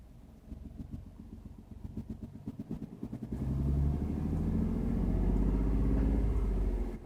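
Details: 2015 Ford F150 V6 Ti-VCT: rough idle with regular tapping about three per second, then revved with the knock blending into a rising drone; engine knocking.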